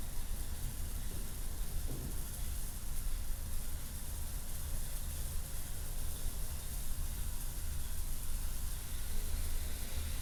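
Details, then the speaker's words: Old Mt. Fuji Inn/Mai Tai Lounge neon sign, transformer with jumpers across broken tubes: constant low hum under a faint continuous hiss, no rhythm; still grounding out, a secondary ground fault, suspected old wiring and housings; electrical sizzle. "Yeah, it's still grounding out."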